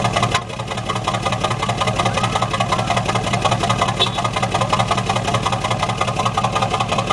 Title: Truck Exhaust Misfire #4